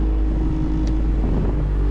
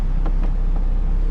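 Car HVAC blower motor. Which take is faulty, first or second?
first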